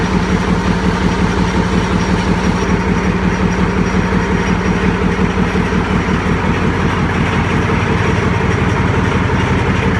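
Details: YaMZ-236 diesel engine on a makeshift test stand at its first start after a full overhaul; steady, even diesel clatter at a constant idle throughout, no misses or knocks; healthy normal idle.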